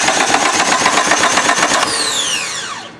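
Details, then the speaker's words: Car that won't start: quick, even cranking at about four turns a second with no catch or firing, then the starter winds down. The owner says timing is good and all vacuum lines are hooked up; the cause is unknown. "thank you and it will turn over a full fire up and we don't know why"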